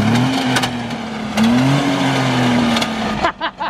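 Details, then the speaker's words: Race car with broken rear differential, driving slowly forward and in reverse with clutch out: engine drone with harsh grinding and sharp clunks like a meat grinder, catching on a tooth; broken diff gear teeth. "It sounds like a meat grinder. Oh! That's making some horrendous noises."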